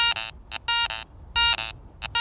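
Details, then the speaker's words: Garrett ACE 400i metal detector, some iron discriminated out, iron audio on, bench test over a bottle cap; choppy bursts of high buzzing tone with grunting edges, iron grunts showing it is not a good target. "but if I put on my iron audio feature now I'm getting some of those grunt sounds that iron flanking sound"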